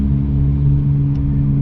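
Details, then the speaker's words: Maruti Suzuki Alto 800 on test drive after about 40 km/h: deep steady droning roar persisting unchanged while coasting in neutral with gear load removed, identifying a worn rear wheel bearing rather than the gearbox. "अब इससे क्या साबित हो रहा है दोस्तों यह आवाज क्या में है कि यह आवाज है व्हील के बेरिंग में"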